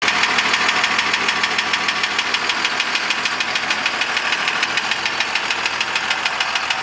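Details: 2002 Dodge Ram pickup engine running with a steady, sharp knock of about three beats a second.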